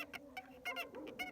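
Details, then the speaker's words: VAZ 2111 at about 15,000 km of ownership, recorded while driving: quick, high chirping squeaks repeating constantly from the rear, caused by the handbrake cable rubbing against the body and wearing through; to be fixed. "Трёт трос ручника, [ __ ] Идёт трос ручника, [ __ ] и ты едешь, и оно постоянно пищит."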